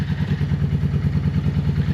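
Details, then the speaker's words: Honda motorcycle woken up after storage, running on all four cylinders: rapid, lumpy low thumping with uneven popping pulses; still backfiring through the exhaust. "but you can hear it backfiring."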